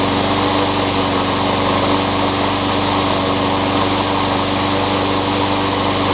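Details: Craftsman mower with a Honda engine that surged before; cleaning the carburetor didn't fix it. After fitting a new carburetor it gives a steady, even buzz with no surging and runs like new. Owner suspects an unbalanced blade causes vibration.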